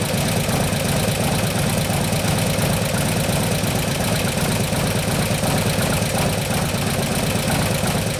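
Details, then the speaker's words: 2015 Harley-Davidson Road Glide FLH, 103ci Twin Cam, after camshaft install and new oil pump: steady idle with quick light ticking, sharpest at front cylinder; front intake hydraulic lifter suspected faulty, not pumping up. "alright so sounds like it's the front front lift your front intake sound like most of noises from its even the chain screws in here aren't pumping out"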